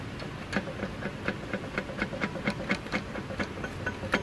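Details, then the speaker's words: Dodge minivan/Journey (maybe 2012) transmission noise, engine off: screwdriver pried on the flexplate through the bell housing cover gives a metallic clank about twice a second plus a loose rattle; rust spread shows the flexplate is broken. "yeah, see that? That flywheel is broken. You can hear it, and based on the rust, that's a sign of the flywheel has come apart."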